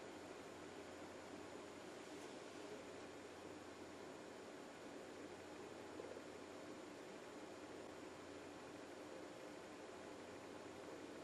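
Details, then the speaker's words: Juniper EX2200 switch booting after fan mod with two new quieter fans installed: only a faint, even hiss with no whine, buzz or rattle; fans run quietly. "so we successfully installed the two new fans into our e^x and now we have a silent or a little bit more silent lap again"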